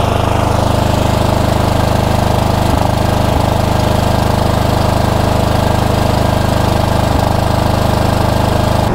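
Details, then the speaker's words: Cub Cadet GT2 LX42 small twin: uneven running with brief stumbles, not typical surging. Suspected to be cutting out on one cylinder; spark looks a little weak and a plug wire looks poor. Cause not confirmed. "this is not surging in any typical surging sense this sounds like something else"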